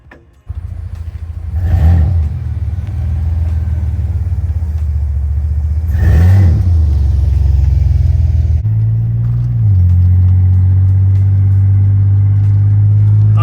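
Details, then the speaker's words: Chevy Blazer cruising on the road after fitting brand-new calipers: even low road rumble, revs rising and settling, the usual squeak gone; owner thinks ungreased caliper sliders caused it; normal quiet brakes. "So normally right about now, just cruising, you hear like a little squeak. I really think the whole time the sliders were just not greased up at all."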